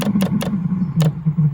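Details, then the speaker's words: Webasto Thermo Top V diesel auxiliary heater for a 2009 Land Rover Freelander 2, bench test drawing about 9 A and smoking: a steady low drone with irregular sharp puffing bursts; the burner is firing roughly and unevenly. "it's kind of bit stinky smells smells like it smells like an old lorry of train diesel engine starting up that's pretty bad actually"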